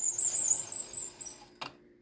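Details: Squeaking cursor (carriage) on a White 1602 knitting machine with a newly installed interface: thin high squeal with each back-and-forth stroke, a dry sliding part; owner suspects it needs lubrication.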